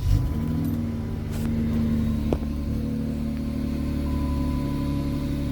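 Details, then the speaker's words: 2014 Dodge Challenger after replacing the fuel pumps (driver side pump, passenger side regulator and filter), engine running: steady low hum with a thin, even pump whine, good pressure; fuel pumps operating normally. "all right here's a video those fuel pumps now you can hear those suckers ripping oh yeah that's got some good pressure"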